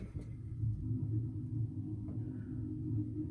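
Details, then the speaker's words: Legacy Truma gas heater after thermocouple warmed; soft steady gas roar, burner staying lit, no igniter clicking, normal operation. "perfect staying lit no igniter clicking we're good to go and there's a much more audible Roar of gas there"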